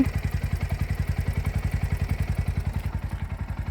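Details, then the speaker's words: Bajaj Pulsar NS125 single-cylinder after 4th service with oil change: steady idle with an even tick-tick about three and a half times a second riding on the beat; tappet tick, owner thinks all Bajaj bikes make it. "यह आपको सुनाई दे रहा होगा। Kit kit kit kit kit."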